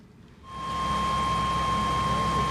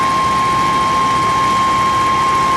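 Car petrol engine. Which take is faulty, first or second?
second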